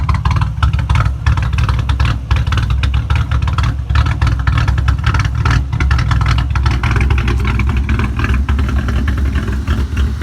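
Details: 3.8 L V6 idling with the brake booster vacuum line deliberately unplugged to imitate a cammed engine: a choppy, uneven idle with irregular puffs and a ragged lope. Unmetered air from the open vacuum line causes this rough idle.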